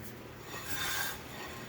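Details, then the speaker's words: 2008 Honda Odyssey EX-L after replacing the passenger rear wheel bearing assembly: only a light, even scrape of the rotor brushing the pad as the wheel turns, no growl; the new bearing sounds normal. "all you can hear now is just the the rotor hitting the the brake pad which is completely normal"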